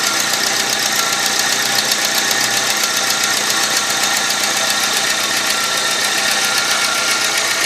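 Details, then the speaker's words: 2001 VW Gol 1.0 8v AT engine, freshly fully rebuilt at 155,000 km, at idle; fast light tapping about two or three a second over a steady idle from the area shown; cause not confirmed. "parece que o barulho é bem nessa região aqui ó olha o alguma coisa tá batendo olha t t t t"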